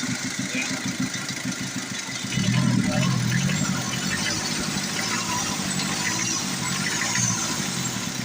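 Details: Older Ford diesel brought in for hard starting, after injector/injection work: engine catches after a couple of seconds then settles to steady, even idle with no misses or knocks; healthy start.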